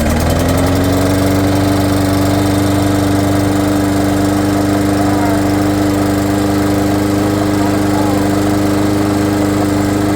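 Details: Lawn mower after repair, armature had been out of place and something was hitting; carburetor work tried: fires and settles into a steady, even run, constant tone, no misses or knocking; running properly.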